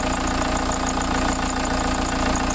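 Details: VW T3 van with TDI diesel swap, about 1000 km later, just after oil, oil filter and fuel filter change: steady even diesel clatter at idle, regular firing, no misses or knocks; normal idle.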